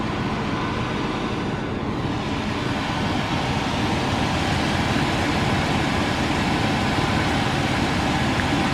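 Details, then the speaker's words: Old Chevy pickup being revived on a farm: even, steady idle with no knocks or misses; engine running and sounds okay, normal idle. "Okay. All right, so it's obviously running. Everything seems to be okay."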